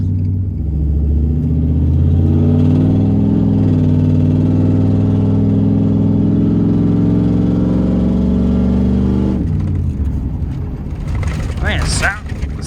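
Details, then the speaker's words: 2001 Ram 1500 4x4 with 5.2 Magnum V8, driving in overdrive, low on gas; truck smokes at startup, owner suspects leaking intake valley pan gasket: deep even burble building under steady throttle, no misses or knocks; normal V8 exhaust note. "sounds pretty freaking good, I'll tell you that much."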